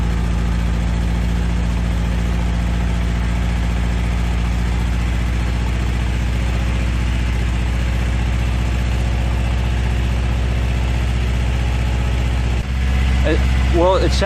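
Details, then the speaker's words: Toyota AE86 with the exhaust mocked up; the tip is not yet final-welded. Smooth, even low idle burble with no puffing, ticking or rasp; nice and quiet: normal idle. "good I like the way I like it's nice and quiet it's perfect for me"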